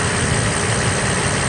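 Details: Mercedes SL600 at warm idle after vacuum hose repair and pulley replacement: smooth, steady low hum with no growl or whine from the pulleys; engine sounds healthy and much quieter than before.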